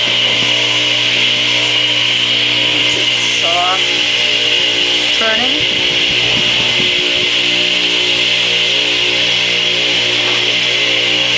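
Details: Craftsman 8-inch direct-drive table saw motor, model S48BRK-1820, 120 V 7.8 A 60 Hz 3450 rpm single-phase, run installed in the saw: a steady high-pitched whine at constant speed with no grinding or rattle; normal motor running.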